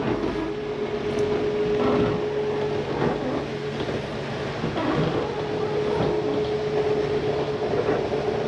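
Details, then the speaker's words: Jayco Eagle HT 29.5BHDS living room slide retracting: steady motor drone straining once the slide is fully in as the mechanism stops further travel; normal and harmless for a second or two. "i wanted you to hear that it's okay to hear that just for a second or two hold it um before you let go it's just a slide mechanism preventing itself from coming in any further it does no harm"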